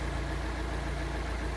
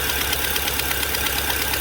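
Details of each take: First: Fiat Palio Fire 1.0 8v after replacing the burnt exhaust manifold gasket: smooth, even idle with a steady low hum and no ticking; noise gone, engine runs healthy. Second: Fiat Palio Fire 1.0 8v idling: sharp fast ticking over a hissy idle that sounds like engine knock; soapy-water test confirms a leak from a burnt exhaust manifold gasket.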